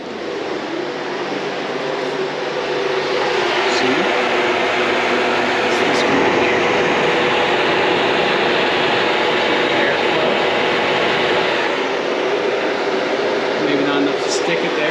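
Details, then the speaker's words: 1973 VW Super Beetle with Subaru swap, electric radiator fan running after fixing a backwards-wired relay (injector-signal ground trigger): steady, even rushing whoosh, no rattle or catch; normal fan operation. "so i had my relay wired backwards so now that i have it wired correctly we can turn on one of the fans"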